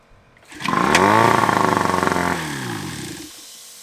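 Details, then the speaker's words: Outboard motor "Johnny" on a boat, run briefly without cooling water after the carburetor was taken apart and its jets sprayed with carb cleaner: fires at once, smooth rising buzz, settles, then shuts off; starts and runs normally. "so i just wanted to hear if it started up that sounded good though that's awesome let's go johnny"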